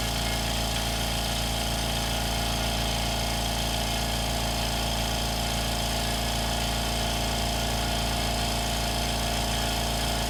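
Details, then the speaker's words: Air compressor powered by a BLUETTI Elite 200 portable power station (2,600 W) runs normally: a steady, even pumping hum with a constant beat around two and a half per second, no knocks or rattles. "It's working, guys. Sounds like it normally does."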